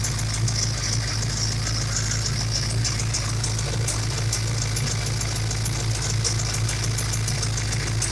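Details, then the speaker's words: Ford Mustang small-block 351/302 Windsor V8 at idle: loud constant airy hiss over low rumble, unmetered air past MAF leaking by cylinder 7 injector O-ring despite new bushings; misfires at WOT; vacuum leak. "you can even hear it from over here it's so loud now"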